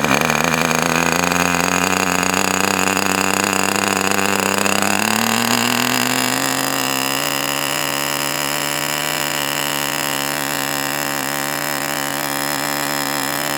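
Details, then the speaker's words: Enya 40 TV Model 6002 glow engine during break-in heat cycles, run at full throttle on a warm day in the upper 70s. Buzzing, uneven burble with the pitch lifting then settling. Deliberately kept rich in four-stroke mode for break-in. "So I am just going by running it at full throttle and keeping it at that burbling four stroke period."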